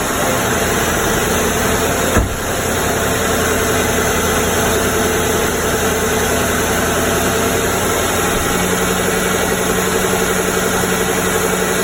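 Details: 2008 Mercury Grand Marquis V8 just after spark plug replacement: a single start thump, then a steady, even idle hum with no misfire stumble or ticking; normal idle.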